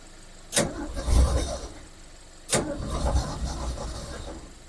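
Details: Ford Falcon with carburetor, choke closed, fuel poured in, pulling fuel from a can: two brief starter bursts about two seconds apart, engine turns over but never catches; fuel starvation suspected, float bowl not prefilled.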